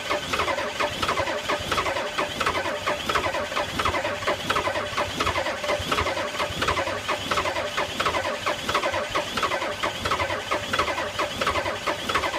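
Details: 1985 Ford F250 6.9 IDI naturally aspirated diesel at -34: starter grinds steadily at about 87 turns a minute with even compression beats, never fires. Cranks but won't start in extreme cold.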